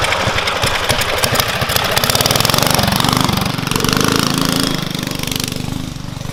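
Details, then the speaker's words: Murray Explorer off-road go-kart with a GX270 single-cylinder engine and performance parts: fast, choppy putter that sags and falls on its face under load; running lean, needs jetting up with a bigger jet. "So the motor definitely needs jetted up, because that's why it's falling on its face for sure. And it's not healthy to run a motor lean"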